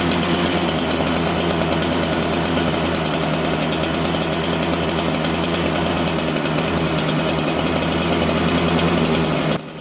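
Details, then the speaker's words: Chainsaw with a governed carburettor, started before tuning: a high, steady buzzing idle that never drops, far too fast for idle. The low-speed jet is set lean, causing the fast idle. "It's uh this thing's a little lean on the low jet, and that's why it's idling so fast."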